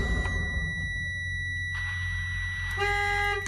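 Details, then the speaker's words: Prime truck security keypad: continuous high beep over the idling truck, a lower tone joining near the end, warning that the driver code was not entered after cranking. "But if you don't put the code in, when you crank the truck, it will start beeping at you. It's crazy."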